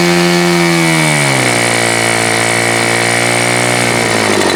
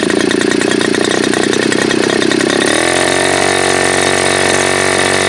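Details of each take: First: Super Tigre G4500 glow engine, hand started, first run on a stand: loud steady high buzz drops in pitch then settles into a smooth, even note; clean transition, running well. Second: Super Tigre G4500 glow engine, first run, before low-speed needle adjustment: loud steady buzz drops to a lower, uneven burble for a few seconds, then quits; rough idle, owner suspects it is a little rich on the low end.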